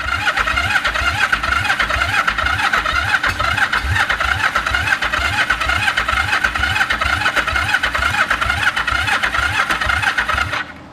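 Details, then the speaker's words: 1974 Yamaha TX500 twin, barn-stored 20+ years: even starter chugging at about two beats a second for ten seconds, struggling to fire. It has spark and started soon after; the carbs need work. "It's trying. It's starting to pull fuel. It's trying."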